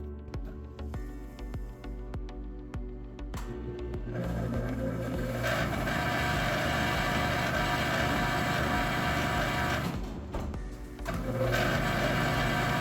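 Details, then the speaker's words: Dexter laundromat dryer motor: after handling clicks, a steady rough metallic grinding and rumble from worn motor bearings rubbing metal on metal. The drum barely turned and had to be started by hand. "can you hear that so that's motor bearings rubbing metal on metal and the drum would barely turn"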